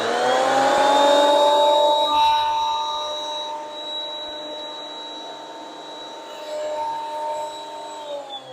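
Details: Delta benchtop planer after drive belt replacement, test board fed through (blades not yet replaced); steady even motor whine easing slightly under the cut, no slap, chatter or squeal, a normal healthy cut.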